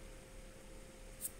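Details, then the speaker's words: Quiet, steady low hum with one faint constant tone and no knocks or rattles from the compressor of an AQUA AQR-D275R-BK refrigerator after 4 months of use, fan switched off; runs smoothly, normal. "kipasnya saya matikan. Mesinnya halus, tidak mengalami permasalahan."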